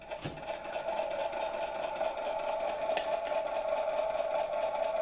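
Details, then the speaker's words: 1964 Gamma II vacuum cleaner (type A-6b), KASB-70/30 motor, briefly powered from a charger after fixing corroded plug: steady even mid-pitched hum, no knocks or scraping; motor spinning up slowly and smoothly, running normally. "silnik Jak słychać zaczyna powolutku chodzić nie powinno być już w porządku"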